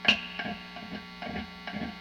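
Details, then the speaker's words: Vintage Fender Telecaster neck pickup plugged into a warmed-up amp, grounds verified, before wax potting; each light tap brings a hollow ringing clunk over steady mains hum; pickup microphonic. "this shows me that yes the neck pickup is microphonic now some of those noises are normal uh and with old pickups i actually prefer a little microphonics"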